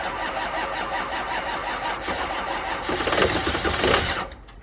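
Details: 2005 6.0 diesel, 15°F New York morning cold start: even rapid cranking about six turns a second for four seconds, stops without firing; cold crank no-start despite two batteries and jump pack.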